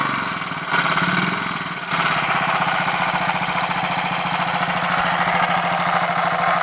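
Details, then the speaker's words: Royal Enfield 500 Machismo electric start single-cylinder idling after cam gear backlash, pushrod and primary chain adjustments; less noise than before but steady rapid mechanical clatter persists, possibly clutch area; abnormal engine noise, source not yet found. "I've got the engine running again after uh all those checks and there certainly less noise but there's something still there that we need to find and deal"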